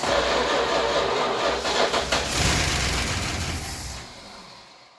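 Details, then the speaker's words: 1966 Chrysler New Yorker V8 after 18 years parked catches and stumbles with an uneven, lumpy, bus-like beat, then fades. Owner suspects not enough fuel, says the carb needs a rebuild and timing may need adjusting. "Sounds like a bus. Right. Obviously not getting enough fuel."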